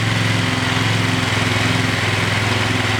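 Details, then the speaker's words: Single-cylinder engine with idle screw adjusted: putters at a fast, slightly high idle, pulses steady; the auxiliary tank was resting on and binding the throttle cable, holding revs up, so the cable needs replacing. "that's telling me I got a bat throttle cable I'm turning there we go my auxiliary tank was resting on this cable when I press on it idle rubs up so I'm going to have to replace that cable"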